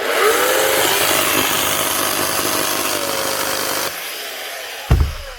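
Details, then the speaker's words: Makita SDS Plus hammer drill from 2007: rough, scratchy whirring with a wavering motor tone that cuts out, and it smells burnt; the motor armature is burnt out and needs an armature and brushes. "Yeah, sounds like it and it smells like it. Motor's burnt out of it."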